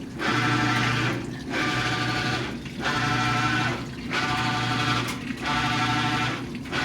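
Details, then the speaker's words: Maytag Bravos washer with a newly replaced shift actuator, second load on bulky sheets, heavy soil, cold wash: agitation strokes about every 1.3 seconds, each with a loud droning hum; owner suspects the actuator install, cause unknown. "That does not sound good. Anyone have any ideas? Let me know in the comments because you know there's a brand new shift actuator on this thing."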